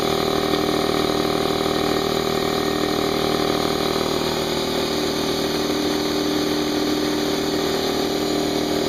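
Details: New Harbor Freight Central Pneumatic 68127 29-gallon 2hp 150psi air compressor at first start, no-load break-in with tank drain open, fresh oil: even motor hum with quick regular piston chuff about three per second, no knocks; healthy unloaded running.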